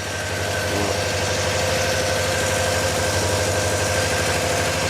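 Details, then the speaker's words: Volvo P1800 engine unstarted for 40 years, first start, fuel coming through poorly and about to run out: uneven, loping idle at about three beats per second, struggling and surging as if fuel-starved; rough idle. "Right, this engine has not been started for 40 years."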